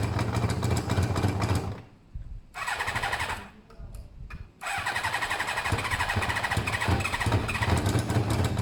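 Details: Motorcycle with pod air filters: it catches, dies away twice, then picks up an uneven, labouring beat, struggling and starved of air through over-restricted pods that the intake sucks forward.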